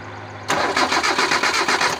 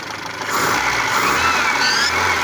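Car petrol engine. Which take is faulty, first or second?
first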